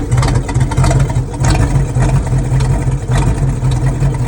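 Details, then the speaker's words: Boat engine running for the first time in 21 years, choke off, fed fuel from a water bottle so the idle was poor, with a little smoke: a loud, even low rumble with steady firing and no misses; it sounds healthy and is hitting on all cylinders. "we finally have the boat running and it it runs pretty good actually it sounds healthy sounds good it sounds like it's hitting on all the cylinders"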